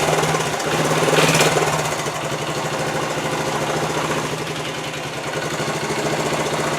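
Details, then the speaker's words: 50-year-old Honda TL125 single after carburetor rebuild to stop a gas leak: even, steady thumping idle about four beats a second, no knocks or misses; normal healthy idle. "yeah that looks good that sounds good right there for 50 years old"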